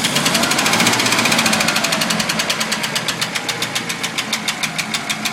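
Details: Packard engine running smoothly with sharp, even ticking about three per second that keeps pace with the revs: a noisy hydraulic lifter.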